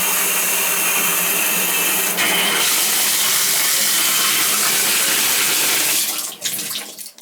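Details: Tub/shower valve that banged and leaked in the wall, dripping at a weakened diverter, water turned back on: steady rush of running water, no banging or knocking, flowing smoothly.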